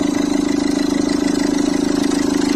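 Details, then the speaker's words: Citroën C3 1.4 HDi diesel idling, with the accessory belt tensioner visibly dancing; fast, even rattling chatter over the engine note. Worn tensioner whose internal spring shifts; it is to be replaced. "Alors je vais lui remplacer cette pièce là qu'on appelle un tendeur de courroie d'accessoires."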